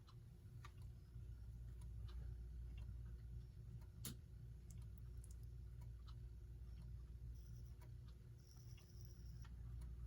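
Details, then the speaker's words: United Corporation electric pendulum wall clock, motor removed from the gear train and run alone: low, even mains hum with only faint occasional ticks, no grinding; motor runs quietly and healthy, so the noise likely comes from the gears. "and that's running pretty quiet so perhaps all that noise is coming from the gears"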